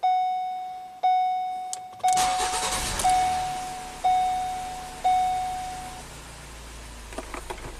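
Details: 2017 Ford Transit Connect after a new battery was installed (12.5 V, charging at 14.6 V): key-on chimes about once a second, then the engine cranks briefly, catches at once and settles into a smooth, even idle; normal engine start.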